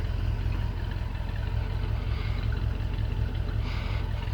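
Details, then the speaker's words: 1964 Ford with FE V8, Summit 600 vacuum-secondary carb, automatic, first start after a few months: deep steady burble at idle, even lope, no knocks or misses; normal idle. "All right, there she is purring away. Sounds like a typical FE out back."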